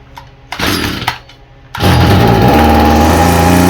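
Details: Stihl FS45 string trimmer, two-stroke, with faulty carburetor that won't prime: a few weak pops and false starts, then runs ragged and uneven on starting spray; carburetor to be replaced.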